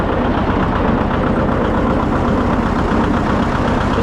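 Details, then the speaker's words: John Deere 730 two-cylinder diesel tractor, newly bought: loud, even two-cylinder thump with crisp pops and no knocks or rattles. The engine sounds healthy. "love the sound of that engine. Very crisp. Probably one of my favorite tractors here right now."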